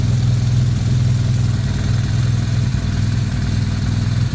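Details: 2009 BMW R1200R boxer after gearbox repair and new clutch damper: deep, fairly even idle with a steady low pulse and no gearbox knocks or clatter; sounds healthy.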